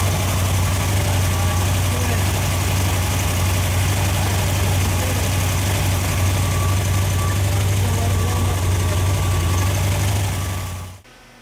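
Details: Freshly rebuilt Ford FE 390 V8 (Edelbrock, fuel-injected, mild cam) on an engine run stand, fully hot after heat soak, holding temperature with oil pressure about 55: deep, steady, unhurried idle with no knocks or misses, running smooth.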